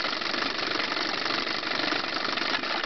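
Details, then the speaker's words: Chrysler 9.9hp outboard at idle during carburetor adjustment: a fast buzzy idle stumbles with missed beats because the low-speed mixture was set too lean. Backing the screw off counterclockwise cures the misfire. "that's too much it had a lean Mist there so we'll back it off"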